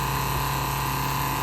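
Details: 1968 Plymouth Barracuda drag car, electric fuel pump after adding return line with Moroso fuel log, new filter, pressure just under 6.5: steady, even, quieter hum with no buzzing or pulsing; smooth normal operation.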